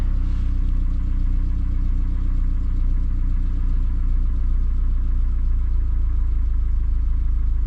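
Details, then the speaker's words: Newly installed 2003 Subaru Forester engine in cold weather, refired after reconnecting a loose plug: steady, even low rumble with no misses, knocks or ticks; idles smoothly, no oil at head gaskets. "that sounds pretty good all right good stuff happy with that"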